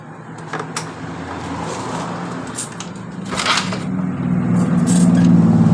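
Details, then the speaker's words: Yamaha Mio Sporty scooter that died while riding, compression, fuel and ignition normal; cause was jumped timing gear, after resetting timing and valve clearance: catches and settles into a steady, even beat building with throttle; normal running. "motor hidup dengan normal dengan kendala gear timing nya atau topnya lari"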